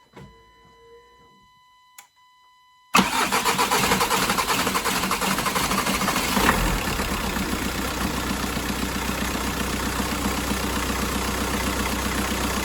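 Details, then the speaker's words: Audi diesel, first start of the day, cold, no diesel on the injectors so slow to start: catches after about three seconds, then a clattery, slightly uneven idle; it habitually misfires when cold, and injector correction readings show cylinder 4 high. "I didn't start this car today yet, so when we start all the time, we have a misfire when it's cold."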